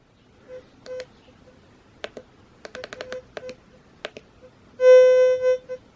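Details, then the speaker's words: Fisher F75+ metal detector in static (all-metal) mode held over a nail in the floor indoors: scattered short chirps, then a steady mid-pitched tone lasting almost a second over the target; normal static-mode response. "So stat, you hear that? I'm over a nail in the floor. In motion, you got to move it for it to pick something up."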